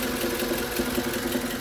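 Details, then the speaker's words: Suzuki Grand Vitara 2.4 (J24B) at hot idle: a light, uneven knock low in the block that appears only after a long warm-up (about 20 km or half an hour of driving); owner links it to the oil thinning. "снимаю стук Похоже что в двигателя значит условия какие но какие условия чтобы он появился проявился то есть проявляется только после длительного прогрева"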